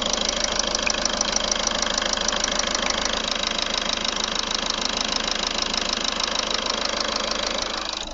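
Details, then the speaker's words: Audi A3 1.6 TDI (CAYC) diesel idling: sharp regular ticking knock about twice a second, seeming to come from one side. Sluggish acceleration, no fault codes; cause not pinned down. "On a l'impression que c'est de ce côté-là. Ça fait quand même un sacré claquement."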